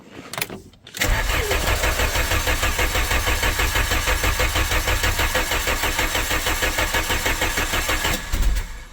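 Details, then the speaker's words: 1997 VW Vento 1.8 automatic, abandoned, engine wouldn't run: steady cranking at about three beats a second for seven seconds, a faint stumble near the end, no catch; crank no start, cause not yet found. "No, it won't start at all. For [ __ ] sake."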